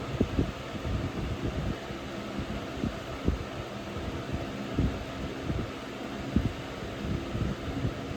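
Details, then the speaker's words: Early-2000s Holmes HABF-25 box fan running on high: steady hum with loose irregular clicking rattles as the motor rattles against its mounts, cause unknown to owner; motor mount rattle. "So, and the motor rattles for some reason. I don't know why. Like, it rattles onto the motor mounts."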